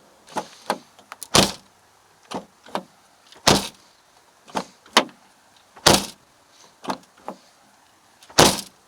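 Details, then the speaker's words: Door slam on a P3 Cars "Cheap R" car: each slam is followed by a sharp crunching jingle of loose pieces inside the panel, from broken window glass left inside the door. "So take a listen to this door. When you shut it, you just hear all that glass."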